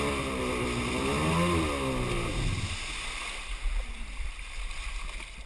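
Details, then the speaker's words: Superjet two-stroke jet ski running badly after refuelling: uneven, lumpy note wavering in pitch before dying, as if firing on one cylinder; compression even, fresh fuel fitted, plugs look okay, owner suspects ignition or plug wires. "It really sounds like it's only firing on one cylinder, but both plugs looked okay."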